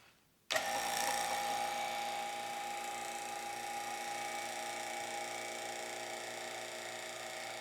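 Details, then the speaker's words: Harvest Right freeze dryer vacuum-sealing 14 quart mason jars: pump kicks on with a sharp hum whose tone gradually softens as the chamber pulls down; normal pull-down, judged by ear since there is no gauge. "Mainly what I do is I just listen to the vacuum pump, and as I hear it struggling a little bit, I know that it's sucked as much air out of it as you can."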